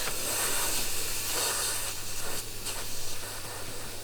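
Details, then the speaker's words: SAAB 9-5 Aero RWD project, turbo system pressurized by compressor for leak testing: loud, steady rushing hiss blowing straight out the underside of the intake pipe; a major boost leak. "This is not like a small leak. This is like major. Can hear it. It's blowing straight out and still the car has ran quite okay."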